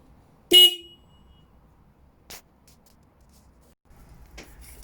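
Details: Motorcycle original stock horn before replacement with a Denali SoundBomb Mini; one short, thin, high-pitched beep stopping cleanly; works but weak and not loud.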